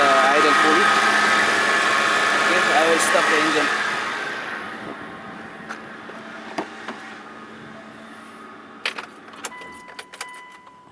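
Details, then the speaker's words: Mitsubishi Pajero engine idling with a chirpy, wavering squeak, then faint clinks; owner suspects the idler pulley bearing and replaces the idler pulley. "I suspected that uh the noise from from the idle pulley it is there you see that from here and uh if you can see it will start I will start the engine"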